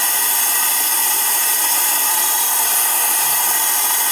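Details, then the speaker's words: Mitee Bite VM300 vacuum pallet system on a Tormach CNC mill, holding titanium on an O-ring seal: loud steady high-pitched air hiss from the venturi pump converting air pressure into suction; normal venturi vacuum pump noise. "now the only downside to the system is as you can hear the noise it uses a Venturi pump that converts air pressure into suction pressure"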